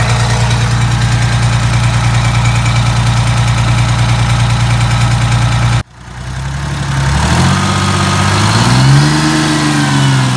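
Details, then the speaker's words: Detroit 6V92TA two-stroke diesel, test run just after installing Jake brakes on passenger side: steady even idle, brief shutoff and restart, then clean revs rising and falling; oil took a minute to reach the jakes; successful test, runs smoothly. "Alright, I think it's a successful test. Took it a minute there for the oil to get up into those jakes."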